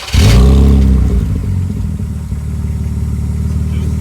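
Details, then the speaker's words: BMW E46 with muffler hacked out and stock 2-inch piping, before the 2 1/4-inch straight pipe; a sharp rev blip drops to a loud, deep, rapid burble with a coarse rasp that sounds like an exhaust leak, not confirmed. "So that way, as the pipes come, the pressure gets released more. It'll change the tone on the way out. This is what the car sounds like now."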